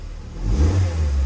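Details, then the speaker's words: MX5 with the stock exhaust refitted in place of a Cobra system to pass a track-day noise test, revved: a soft, low, muffled, quiet exhaust with no rasp or rattle. A normal exhaust note. "Nice and quiet now. Let's give it a little rev to hear it."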